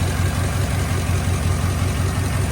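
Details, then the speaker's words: 2008 Chevy Avalanche 5.3 V8, first cold start after timing chain rebuild (new lifters, pushrods, oil pump): steady, even low idle with faint light ticking from lifters still pumping up after priming; running fine. "That's normal though, because lifters have got to pump up, and probably some of them are held open a little bit because, like I say, I primed the engine with my engine primer. Doesn't sound like it's running too bad."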